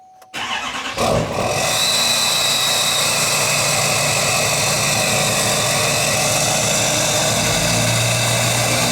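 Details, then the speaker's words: GMC Duramax 2500 diesel with an 80 hp tune and a 5-inch straight-pipe exhaust (muffler deleted): it cranks and catches into a loud, steady idle with revs, and a high turbo whistle sets in early. Normal turbo spool. "yep hear that turbo yep i love the sound of a turbo if you can't hear a turbo you don't even really have a diesel"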